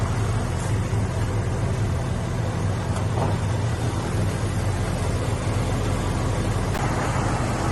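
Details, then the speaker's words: 1983 Ford Ranger 4x4 four-cylinder not cranked in at least three years, oil checked good, likely burning old gas: steady, even low rumble at idle with no knocks or misses; smooth healthy idle. "she's sounding real happy probably chewing on that old gas hopefully she'll stay running"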